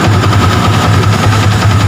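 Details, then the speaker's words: Yamaha Vixion injection motorcycle, electric start with battery staying about 10 V while cranking: strong, even low drone with a faint steady whine, no dragging; battery and starter good, normal start. "voltase aki tidak turun di bawah 10 tadi ada di angka 10 berarti otomatis akinya bagus dan starter juga bisa dijalankan"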